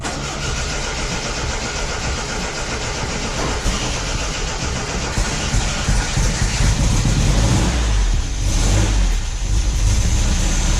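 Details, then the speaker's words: 1974.5 MG MGB with HIF4 carburettors, flooding and dumping fuel through the emissions vent due to a cracked float; idling to burn off excess fuel: low, lumpy, heavy, uneven running. "So we got to burn out the fuel that's already in the carb. So we're gonna go ahead and fire her up. If we can get her started. She's been stubborn. She's flooded."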